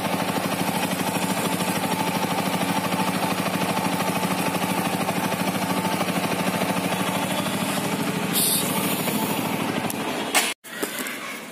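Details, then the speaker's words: TVS Apache RTR 200 4V BS6, under a year old, riding after the service center tightened loose cylinder head nuts. Even, steady beat with no head tapping, brief dip as throttle closes; normal running engine. "लेकिन नहीं, गाड़ी अभी proper हो चुकी है, smooth हो चुकी है।"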